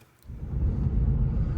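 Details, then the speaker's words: Lexus IS on a test drive after spraying silicone on the rear glass installation tabs: only steady low road rumble, none of the usual cracking and popping from behind the rear seats on this loop; body creak gone. "yeah usually I'm making the second Loop in this area it's cracking and popping like crazy but I don't hear it"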